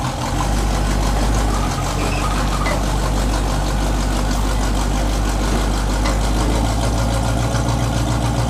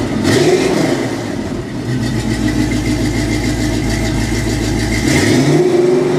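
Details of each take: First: 1984 Chevy K20 V8: steady deep idle with a raspy, droning, poorly muffled exhaust; the cheap fiberglass-packed turbo mufflers, fitted a couple of years ago, are worn out. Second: 1984 Chevy K20 V8 exhaust after replacing cheap fiberglass-packed turbo mufflers with Flowmaster 5246 mufflers: fires up and settles into a deep, even idle with steady low rumble, no ticks or knocks; sounds much better.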